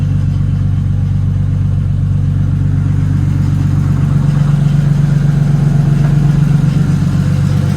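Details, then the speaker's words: Nissan R34 Skyline first start after installing a rebuilt engine (the old one had rod knock): steady idle with a low droning hum. The noise is the power steering pump whining because it doesn't have enough fluid. "sounds good that noise you're hearing is the power steering it doesn't have enough fluid"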